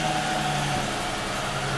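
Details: 2002 Mustang after cranks-no-start diagnosis and repair, first start back on the ground: smooth even idle hum with no misses, knocks or ticks; normal idle, engine healthy after repair.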